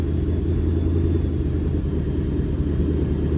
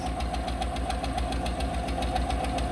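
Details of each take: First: Dodge V8, shifting dialed in, settling down to a nice idle around 750 rpm: deep even rumble with no misses or knocks, just sounds good. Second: Fleet truck with 111K miles at idle: sharp even tick about four times a second over a steady idle from one unhappy lifter; no misfire registering yet.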